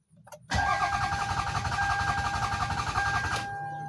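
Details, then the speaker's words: Toyota Sienna cranking: starter spins the engine steadily, about 220 compression beats a minute for three seconds, and it never fires; crank no start. "You can see it's only cranking but not starting."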